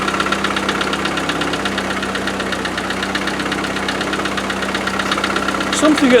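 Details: 90 unused for four years, first start after a new coil and a little fuel: a fast, light ticking rattle, about four a second, over an uneven idle just after the cold start. Cause suspected, not confirmed.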